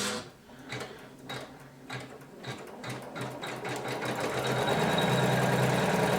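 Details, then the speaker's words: Janome 500E embroidery machine after repairing the customer's loud knocking/rattle during operation: even, steady stitching rhythm at about four strokes a second with no knock or clatter. Sound is now good. "Ну вот, звук сейчас хороший."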